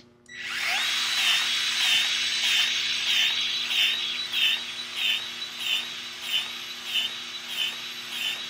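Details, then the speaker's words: Battery grease gun greasing a Rayco C120 machine at low speed: motor whines steadily with a regular click about 1.6 times a second, pumping grease normally. "again with a battery power grease gun most of them in a low speed you'll be able to hear clicking giving that pump if grease out"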